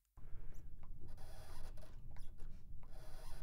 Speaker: what I also did is I've recorded just the sound of the squeaking foot pedal like so